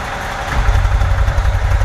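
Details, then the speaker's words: 1990 VW Vanagon Weekender, 2.1 L water-cooled boxer, 143,884 miles, new or VW-remanufactured engine, pre-purchase inspection: low even idle rumble with a steady pulse, no knocks or ticks; the engine sounds normal. "so that's what it sounds like sounds normal the engine sounds normal"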